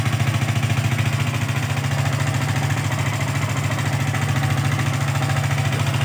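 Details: Yamaha R15 V3 BS4 idling: light steady knocking/tapping from the top end, rocker arm hitting the camshaft; needs replacement.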